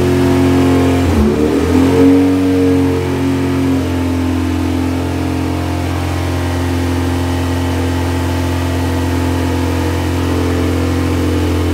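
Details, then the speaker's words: Project EG hatch first start after fuel line work, vacuum hoses left disconnected: quick rev on startup, then holds a fast, steady high idle instead of settling, from open vacuum hoses letting in extra air. "I'm stupid and I didn't connect the hoses so that explains why the car was so accelerated on the first start but it turned on so that's a good sign"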